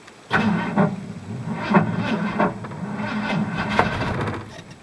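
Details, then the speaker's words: 1985 Ford plow truck, sat since last spring, cold start attempt at about -5 degrees, air cleaner off: sluggish, uneven cranking with long gaps and no catch; owner thinks the battery is weak and needs charging. "battery ain't too happy but she may go nope I probably got to charge the battery"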